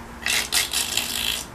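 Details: BMW E46 M3 convertible, top lowering just before the lid closes: short dry raspy clicking/grinding from under the rear seat, top fails to close or raise; suspected plastic top-motor cover, replaced with metal cover.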